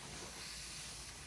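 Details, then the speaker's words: Home air compressor system at about 80 psi regulated: steady high airy hiss over a low rumble, air escaping from a loose threaded fitting, to be fixed by rethreading with Teflon tape. "oh there's a hissing sound right here also so this will be a dress Yeah right here so this will be fixed and also right here"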